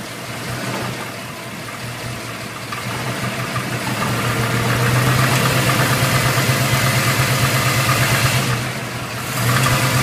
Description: New crate motor about 2000 miles. Is this a rod knock?